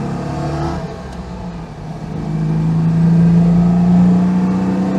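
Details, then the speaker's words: Citroën 2CV on its first drive with a replacement engine, recorded on board: a low drone rises smoothly as the throttle opens, with soft induction roar, wind noise, and no knocks or rattles. Much quieter than the old worn engine. "Lovely little engine."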